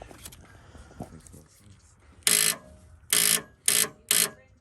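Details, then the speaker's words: 1984 Fox-body car, 40k original miles, sat 20 years: key turned gives four short harsh bursts with no cranking; dirty battery connections and dead or bad battery suspected, later judged a bad connection. "Let me check these connections real quick. They're pretty dirty."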